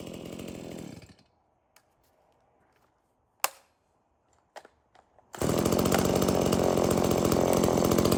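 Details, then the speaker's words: Stihl MS170 chainsaw, reported as a no-start, bought 13 months earlier and apparently unused; run on its original fuel with a full bar oil tank, outdoors. It screams at a steady, even pitch with no surging or misfire: it starts, runs and oils normally. "well that ms170 starts and runs and oils I just don't think he's used it at all since he bought it"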